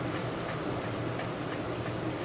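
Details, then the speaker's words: Small cooling fan from a Wanhao Duplicator i3 / Monoprice Maker 3D printer, after repair, running at 12 volts: even, smooth whir with faint light ticking, no buzz; slightly off balance but spinning cleanly and normally. "yeah it's it's really smooth now you can see it's a little off balance but remember before i would kind of push it against the table and you could hear it buzzing not anymore"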